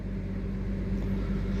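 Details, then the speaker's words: GMC Envoy 4.2 inline-six idling just after start following purge/EVAP and O2 heater circuit repair and earlier intake cleaning for a low idle code: steady even low hum, idle pleasantly high, no misses, knocks or check engine light. "yeah sounds good look at the idle it's up or pretty high like it should be when you first started"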